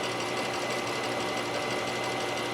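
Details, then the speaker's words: 1997 Mercedes S500 coupe V8 after head gasket fix: steady even idle sounding happier, with a side mirror buzzing constantly whenever the car is on; normal idle. "I think it's a lot happier. I think it's way happier."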